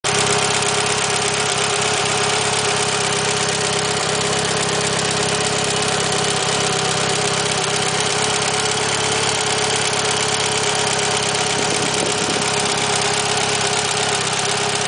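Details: Mitsubishi Lancer Evolution 9 petrol engine with Kelford 272 cams and Supertech beehive springs and retainers, idling: busy, sharp ticking over a bright steady note; valvetrain or lifter ticking, owner unsure if normal.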